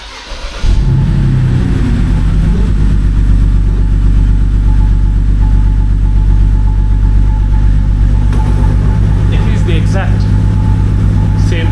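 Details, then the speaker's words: 2007 BMW N52 with original ignition coils, misfire code on cylinder 2, restarted after the coil check: uneven, stumbling idle with irregular low thumps about four a second; misfire attributed to faulty coil 2, swap or replacement planned. "sound as before. So I guess we figured out what I calculate is it is coil number two."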